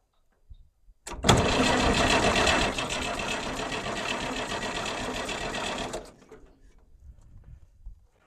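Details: Long-neglected Farmall 806 tractor, fuel reaches the pump but blockage or air leak suspected, leaky fuel line: steady rapid starter churn for about five seconds, turning over but never firing, then silence; crank no start, cause not confirmed.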